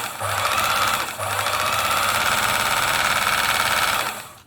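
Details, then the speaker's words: Singer 760 sewing machine after oiling the hook race and removing lateral play to cure a rattle on deceleration; steady even whirr, smooth stitch rhythm, no rattle as it slows. Running healthy. "So that's sounding quite good there now."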